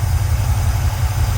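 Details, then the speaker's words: Pontiac 350 V8 in a Le Mans after rebuilding the 750 carburetor, cleaned of debris from a blown-up 455 in the intake: smooth, even low idle rumble, no stumble or popping; normal idle. "I guess all that stuff that was down in the intake from where the 455 blew up got in the carburetor somehow and it just needed a good cleaning what I got here works good now"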